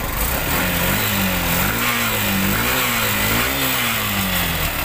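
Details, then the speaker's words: Yamaha YTX motorcycle after cylinder rebore with new valve seals, base and head gaskets, fixing a noise: revving up and down smoothly, no knock or tapping; noise gone, normal running. "So yan guys, okay na yung ginawa natin na rebore sa YTX. Ayan, nawala na rin yung ingay nya."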